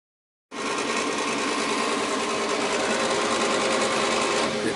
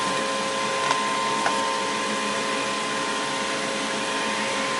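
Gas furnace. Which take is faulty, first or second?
first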